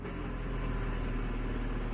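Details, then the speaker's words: 2011 Scion tC manual transmission, clutch out in neutral: steady low drone with faint whirr, silent with clutch in or in gear; worn transmission input shaft bearing, not the release bearing. "because constantly on the manual transmission if that bearing goes bad and you're in neutral it's gonna make that noise"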